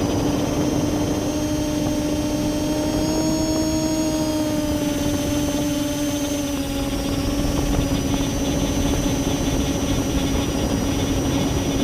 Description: mmmmh, I heard that weird sounds before but now with camera at 15° down it causes bad vibrations. I suspect Esc or motor bearings but I'd investigate better.